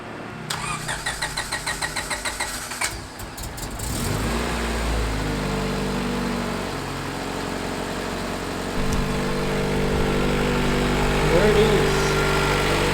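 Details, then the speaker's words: Honda CRX, first start after sitting for months: cranking clicks, then it catches promptly on the first full turnover and settles into an even, smooth idle with no misses; no leaks seen, healthy cold start. "It's been months since the CRX started, and as you guys seen, the first pretty much full turnover has started right up. I don't see any leaks."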